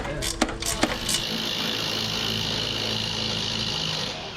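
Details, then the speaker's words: Truck's onboard air pump running: a few sharp knocks, then a steady loud hiss and whir with a scraping edge; pump rubbing on its mount, the cause of the noise, remounted with Allen bolts. "you can see where it's been rubbing rubbing that's why it's so noisy at first we didn't think it was hidden but it definitely definitely was"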